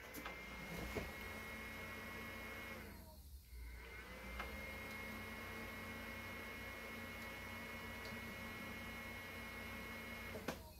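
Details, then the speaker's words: Older desktop PC powered on: fans whir up, drop out, spin back up, then shut off for good; starts but won't stay running, cause not yet found. "okay so it seems like it starts to go and then shuts off i mean it did that twice and then just shut off for good"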